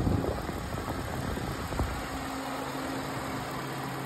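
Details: 2012 Ford Fusion idling just after external water pump and stretch-fit belt replacement, with the radiator cap off and the heater on to bleed air: a quiet, steady low hum with no knocks or squeals. Normal healthy idle.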